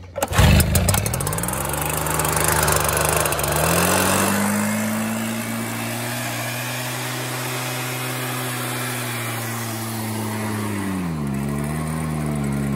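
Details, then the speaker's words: Like-new Stihl BR 380 backpack leaf blower, two-stroke, started on choke and nearly out of fuel: fires up, revs and settles to an even buzz with steady pitch and only slight dips; runs well, normal running. "and that's it it's a good blower again it is just almost bone-dry"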